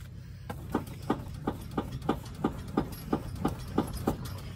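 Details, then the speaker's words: 6.0 Powerstroke diesel truck at idle, rear of cab: regular knock about three times a second as the cab clunks; rear cab mount bushings completely blown out, body lines misaligned, replacements ordered. "that's the cab bushings you can see the body lines don't match these two back here completely blown out"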